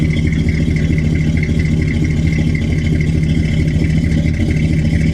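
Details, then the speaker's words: 1992 BMW 325ic at a Copart salvage auction, finally started after a hard start: water shot out of the exhaust and it gurgled while cranking. It idles with an uneven, burbling, wet-sounding exhaust and discharged a milky oil-water puddle; coolant in the cylinders is suspected. "i got her to fire up but guys i heard water shoot out of the exhaust and while i was cranking it it sounded like water in the exhaust was just going"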